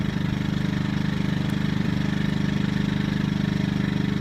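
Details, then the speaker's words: Yamaha EF2000iSv2 generator at low idle, no load: lean miss disappears with choke pulled slightly out, running evenly with steady low pulsing; miss returns when choke is pushed in. "there the miss does disappear I don't I don't really it's a real fine line but right there with the choke out a little bit the waffles gone"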